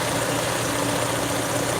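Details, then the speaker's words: Peugeot 307 2.0i after fixing a vacuum leak, just started: steady, even idle hum with no hiss, whistle or stumble; the earlier noise is gone, normal idle. "I mean that noise is no longer there"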